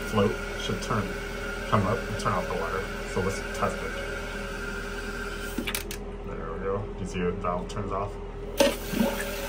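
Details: Toilet after replacing a fill valve that would not shut off with a Kohler Silent Fill Valve GP1138930: steady rushing water with a faint hiss that drops off cleanly as the float shuts the valve; normal refill and shutoff.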